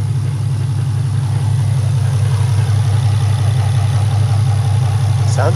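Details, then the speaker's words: Infiniti G35/G37 idling after going back to stock intakes: a steady, even low idle rumble with no knocks or misses. It is quieter at idle with much better idle response, though someone wonders if there's a leak. Normal idle. "quieter on idle not gonna lie [Music] all right don't sound aggressive on it sounds like there's a leak [Music] the idle response is so much better bro oh my god"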